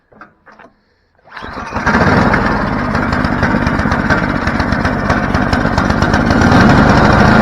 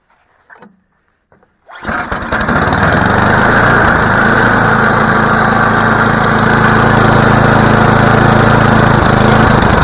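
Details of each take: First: Snowblower after choke linkage fingers bent: brief pull-cord rattle, then catches on one pull and settles into a steady, even run holding its speed; normal start and run. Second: Snowblower after carburetor cleaning: pulls over, catches, then settles into steady even run with slightly rich, loaded note; choke likely still on, cause suspected, not confirmed.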